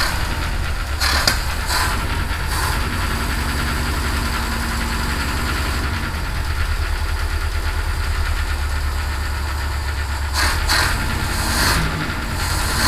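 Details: Citroen HY van after a no-start repair, fuel pump checked at 2 psi and reconnected: an even, steady low idle with no misses or knocking and visible blow-by, so the engine runs properly.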